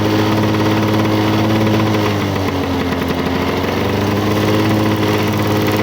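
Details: 1985 Lawn Boy 7350 two-stroke mower, revived after years outside, clearing thick brush; even buzz dips briefly as it bites into growth then recovers; owner says good running but may adjust RPM.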